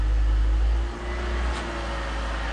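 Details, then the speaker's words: BMW E46 after a DIY manual transmission swap, tested in second gear with the wheels turning: a steady engine drone with a faint even whir and no grinding or clunking; normal. "they're moving pretty awesome"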